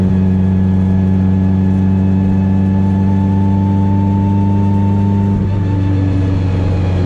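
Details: Test drive of the car after CV axle and driveshaft fixes, driven lightly on a back road: smooth, even engine hum with steady pitch, no shake, knock or vibration; drivetrain runs healthy, driveshaft feels smooth.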